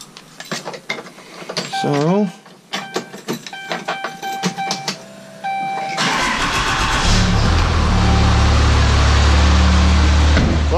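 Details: 1000hp 6.7 Cummins drag truck after the underside was bolted back up, over a suspected flex plate or flex plate bolt fault: diesel cranks, catches and settles into a steady even idle, no knocks or rattles.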